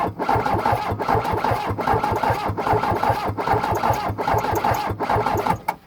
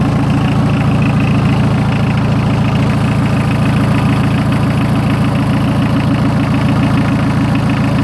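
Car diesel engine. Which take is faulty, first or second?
first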